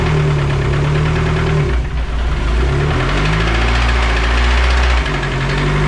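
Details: Dodge SRT-4 before engine removal: a deep idle with a dull bottom-end knock, rod-bearing type, that dips and recovers with revs. The engine is to be replaced with a built long block and upgraded fuel system.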